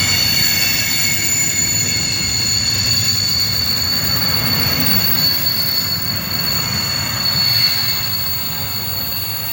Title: Class 66 66599 Brake Squeal 463X Lawley Street F.L.T. to Felixstowe F.L.T. Ansley 15 January 2021